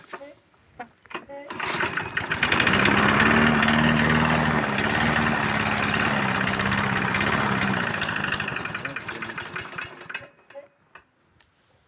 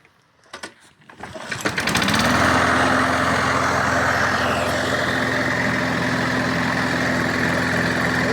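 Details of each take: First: MTD lawn mower with Briggs & Stratton 675 series engine barely starts, backfires through the carburetor and sometimes the exhaust, then stalls; it catches, runs unevenly for several seconds with wavering speed, then dies at idle. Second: Briggs & Stratton 675 series engine on an MTD lawn mower, after cleaning and reassembly for hard starting and stalling at idle: a few pulls, then steady, even running, no misfire or surging, no longer smoking; worn rings suspected.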